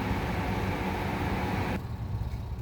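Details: Miller furnace with an intermittent problem that began last week: a steady deep rumble fills the room, then drops away abruptly as the burner kicks off. It happens only sometimes and acts normal on restart, so the cause is unknown.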